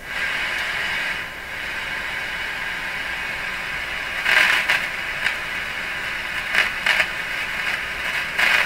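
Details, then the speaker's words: Strauss AM/FM tabletop radio, FM local oscillator suspected not working: only a steady hiss with scratchy bursts while tuning, and no station ever comes through, FM reception dead; cause not yet confirmed. "There's no evidence the radio is receiving anything as I tune this, right? Or is there?"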